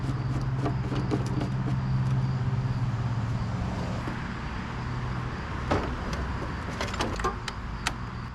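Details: 1991 MTD 12/38 riding mower under restoration: small single-cylinder engine fires right up quickly and settles into a steady, even idle without misses; normal start and idle.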